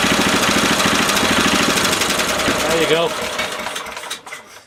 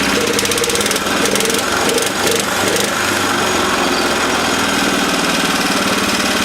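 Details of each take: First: 1970s Honda E2500 generator, indicating 200 volts: it chugs at a quick, steady rate, then stumbles, sags and fades to a stop as it runs out of fuel. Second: 1970s Honda E2500 generator after the governor was readjusted: a steady, even engine drone holding constant speed with no misses or knocks; normal running.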